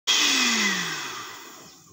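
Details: Blender motor spins up for a moment then stops, the tone sinking and fading within two seconds as it coasts to a stop; a faulty control module is cutting power.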